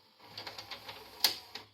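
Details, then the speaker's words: 1992 JVC HR-D640MS full-loading PAL-SECAM VCR before repair: during rewind, quick light mechanical clicks then a sharp clack as it stops and unloads the cassette; play also stops, fast-forward fails; capstan belt suspected, not confirmed. "Non, là il est passé en veille, on va remettre comme ça, en route. S'il rembobine, et il s'arrête,"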